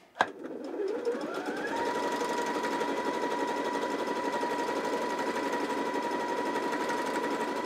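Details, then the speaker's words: New out-of-box Janome JW8100 sewing machine zigzag stitching at maximum 7 mm width, 1 mm length with zigzag foot: steady whir with uneven pulsing clatter in waves; loose thread strand fouling the bobbin area, owner checking threading. "do you hear that sound something's not happy inside of there and it's you can hear it happening in waves and you can see it"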